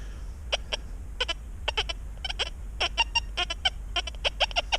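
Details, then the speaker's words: Metal detector (Equinox 800 / XP Deus 2) during a small-foil test at reactivity 1: irregular bursts of high-pitched chirps with no target under the coil; the operator attributes the chatter to EMI from airplanes. "Hear that EMI coming in there from them airplanes again?"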